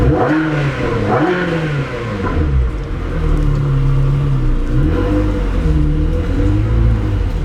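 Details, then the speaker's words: Car revving after repairs (Novatech exhaust fitted, new mass airflow sensors, driver's-side fuel pump, vacuum leaks fixed): clean, strong revs climbing and falling smoothly, with no misses, rattles or knocks. Normal engine running. "room man this novatech exhaust sounds amazing on this thing we got all the parts on everything's fixed it's running great"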